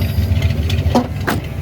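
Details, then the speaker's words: 350 V8, unrun for years, bypassed lines and makeshift fuel can, new cheap fuel pump: rough uneven burble with no steady idle, then stalls; not pulling fuel, fuel starvation from air in lines. "See if it's pulling fuel. Stalled. I don't think it was pulling fuel."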